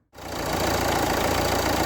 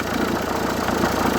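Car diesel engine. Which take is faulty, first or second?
second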